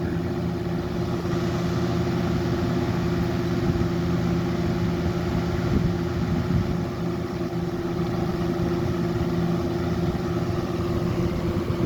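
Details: 1995 Lakewood model 200/I box fan on high after cleaning and oiling the motor: steady, even whir with constant low hum, no rattle, scrape or ticking; runs very well, normal running.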